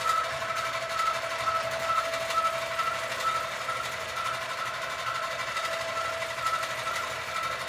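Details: Sewing machine quilting a Christmas quilt, with excessive bounce (owner suspects something too loose) and a sound the owner calls not normal, cause unknown. Steady stitching rhythm with a faint, intermittent high squeak. Abnormal stitching noise with excessive bounce.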